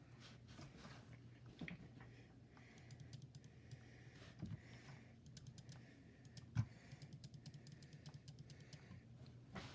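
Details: Logitech G502 Hero wired mouse: crisp, sharp single left and right clicks with a clean snap and no rattle or double-click in a quiet room; the switches work normally.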